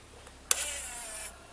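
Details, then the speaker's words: 2013 Can-Am Outlander 1000 ATV in P or N, after fuse replacement, switch moved to 4WD: sharp click then brief high electric whir stopping cleanly; 4x4 actuator engages normally, 4WD indicator on. "No sé si alcanzaron a escuchar ese sonido que hizo y nos va a indicar aquí como les dije que está activado el 4x4 (4WD) ya está ahora sí funcionando,"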